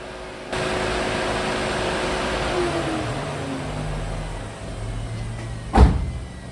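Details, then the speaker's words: Ram ProMaster van after alternator and AC compressor replacement, being diagnosed for bank rich codes: low hum dropping in pitch as the fan spins down; owner wonders if there is a fan problem. "it's interesting I can hear that fan spitting down wonder if we have an old fan problem"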